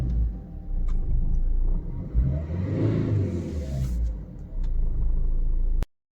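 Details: Maruti Suzuki Swift/SX4 diesel, after an immobilizer no-start: catches on the first try, revs briefly, then settles to a steady low rumble with no misses or knocks; runs normally.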